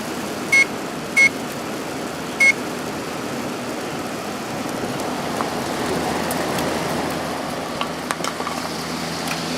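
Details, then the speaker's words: 2003 GE 12,400 BTU window air conditioner made by Samsung, after cleaning blower wheel, coil and filter, fan only before compressor start: a few control beeps, then a steady, even rush of air with no rattle or scrape; normal fan operation. "Alright, let's turn it on and let it dry out. Nice and quiet now."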